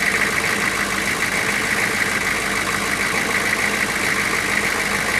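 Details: GM 6.5 turbo diesel just restarted after sitting about four to six years; steady, even idle clatter with no misses or stumbles, the engine now smoothed out and running well, though a coolant leak was found.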